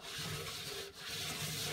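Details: Indesit Innex XWA71451W washer (7 kg, 1400 spin, maybe about 10 years old), drum turned slowly by hand: rough, gritty grinding and a lumpy rumble like going over speed bumps. The bearing inner race had completely collapsed.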